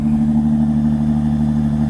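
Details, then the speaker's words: Jeep Grand Cherokee Limited X V6 cold start at about 20-something degrees: steady, even low hum at idle with no knocks, misses or squeals; runs smooth and healthy. "That reminds me so much of the sound of my 1975 Fiat X19. It was a 4-cylinder, 5-speed."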